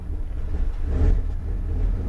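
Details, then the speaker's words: 2001 Dodge Ram 1500 5.2L V8 at idle: low idle that swells and settles every couple of seconds; surging from faulty MAP sensor, code P0107. "all right is fluctuating like crazy so as you can hear the vehicle check out the rpm I don't know if you saw that little fluctuation right here now we're stuck at 2.7"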